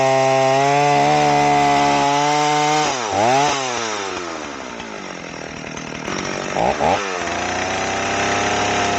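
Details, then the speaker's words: Old 038 AV Stihl chainsaw being rehabilitated, test cut after a carburetor swap and not yet fully hot: it revs up and bogs slightly into the cut with a burbly, uneven off-load note. The tune sounds a little rich and can be leaned out. "kind of sounds like my tune is a little rich on here, which is fine. We can always lean it out a little bit"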